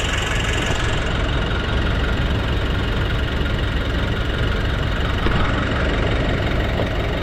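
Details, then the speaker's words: Nissan NV350 diesel after replacing the suction control valve, cleaning the EGR and intake manifold, and relearning: steady, even idle clatter with no hunting or breathing in the revs; the earlier surging idle and low power are fixed. "so nawala na yyung hihinga hinga yyung idle ng ano ni sir sa NV350"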